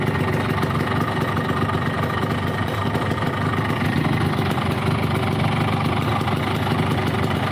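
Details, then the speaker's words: Motorcycle after an engine rebuild costing about 16 million rupiah, brought in for no power on climbs: rough, uneven idle with busy clattery mechanical noise. Something inside is not right. "Aduh suaranya cuk Oke kita akan lakukan analis sederhana kayak begini aja dipegang di sini kita putar-putar ini ada yang gak beres nih"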